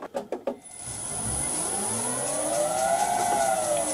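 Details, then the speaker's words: Vintage lathe motor on a new XYS-AT1 VFD replacing a 32-year-old Allen Bradley drive: clicks, then a smooth tone rising and settling as it spins up; quiet, even, far less screaming than the old drive. "a whole lot better than the screaming Allen Bradley."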